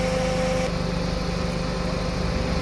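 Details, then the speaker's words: Suzuki Ciaz at idle after replacing the AC clutch set, changing compressor oil and the receiver filter; outside 34°C, cabin air cold; steady even idle with compressor running smoothly, no clutch chatter. "เดินเบาระบบแอร์ตอนนี้อุณหภูมิหายนอก34นะครับในรถตอนนี้เย็น55องศา"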